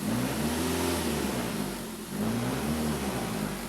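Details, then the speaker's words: 2008 Ford Focus SE pulling from low rpm or from a stop, which is worst, while idle and highway cruising are mild. Heavy low drone with buzzy plastic trim rattle; worn engine mounts are suspected of passing vibration into the body. "so at idle it's not terrible um but definitely when you're accelerating from low rpm or at a stop light um it's pretty bad"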